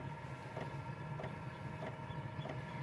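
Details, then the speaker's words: Chinese diesel heater on its first start, not yet installed, cover still on top: fuel pump comes online with soft regular clicking about every 0.6 seconds over a low fan hum, expected to speed up; normal dosing pump ticking at startup. "So the fuel pumps come online, you can hear that clicking."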